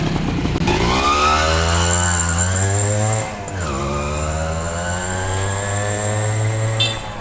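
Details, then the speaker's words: H100S motorcycle single after repair (new original stator coil fitted, carburettor fixed and adjusted): it revs up cleanly, drops back and picks up again with smooth, even firing; the misfire is gone. "বাইকের misfire নেই, বাইকের যে misfire করতেছিল আমরা coil লাগাইছিলাম, যেহেতু বাধা coil ছিল এর কারণে কিন্তু আমরা অরিজিনাল একটা নতুন কয়েল লাগিয়ে দিয়েছি।"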